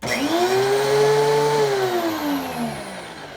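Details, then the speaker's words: DeWalt 735 planer after chip ejector impeller repair, test start: the motor whirs up to a clean, steady tone and winds down smoothly with no rattle or wobble, much quieter than with the broken impeller fan. "and that is much much quieter than it was with the broken impeller fan"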